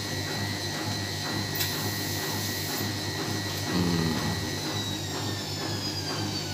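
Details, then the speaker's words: Side-door front-load washing machine after repair of hard vibration during spin: steady motor whir with even rhythm at maximum spin speed, no heavy thumping or vibration; normal spin cycle. "alhamdulillah sudah teratasi permasalahan mesin cuci ini Ya sudah anda lihat sendiri tidak ada getaran sama sekali"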